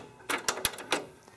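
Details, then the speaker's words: Kenwood KX-W8050 cassette deck, made in Japan, motor dated August 1992: sharp clicks and clunks as the auto-reverse head rotates when reverse play starts; owner criticizes it re-flipping even when already flipped. "you can hear the head flip around. But then when you stop, then you play it again in reverse, it sounds like it has to actually flip the head around again, despite the fact that the head was already flipped over."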